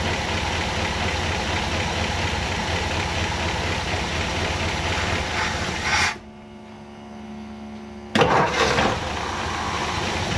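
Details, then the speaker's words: 1959 Ford Fairlane 500 V8 after tune-up: rough, uneven stumbling idle, then dies and restarts; plug wires six and seven were swapped (firing order off), causing a misfire. "That ain't supposed to be doing that. Maybe I got it in the Maybe I got the firing order off."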